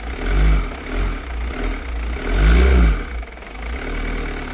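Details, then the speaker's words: Long-stored diesel (a 205, old diesel in tank, diesel leak, started on chain lube and deicer) clatters unevenly at low idle, beat lurching and surging; rough running, suspected air in fuel, probably fuel starved. "Diesel. That's why you won't start. You pull an air in it. That shouldn't be running well at all."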